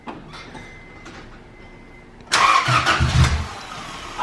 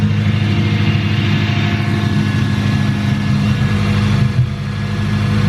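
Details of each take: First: First start after fitting new valves in the cylinder head: starter cranks about three beats a second without catching; timing checked fine, cause found as valves adjusted super tight, then readjusted. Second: Engine after new valves were fitted and too-tight valve clearances readjusted: steady, even idle with a smooth low hum and no tapping or ticking; running so far without dying.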